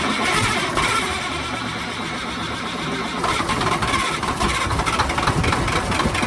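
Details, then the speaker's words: 1987 Freightliner wrecker with a Big Cam Cummins diesel, started after sitting about 1.5 years with silicone spray in the intake: slow laboured cranking, then it stumbles into a rough uneven run; accelerator sticky. "we're going to start it up here and just going to squirt a little silicone spray in it like I say it's been sitting for year and a half or so"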